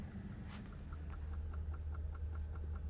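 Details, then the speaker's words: BMW E93 528i in the cabin: faint rapid even clicking, about three or four a second, that stops and restarts; not enough power even to pop the trunk, battery likely weak and needing replacement or a jump, relay chattering suspected. "all right here we are inside the bmw the e93 why is it clicking can you hear that that's not good clicking stopped"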